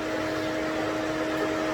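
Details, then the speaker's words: 2017 Corvette Z06 with a new 416ci stroker on its first start, run briefly with no coolant so it heats up fast. A steady, even whoosh with faint constant hums and no rattle or scrape is the electric cooling fan kicking in and running cleanly. "can hear the fan kicking in good news is no fire cranked up first crank sounds amazing"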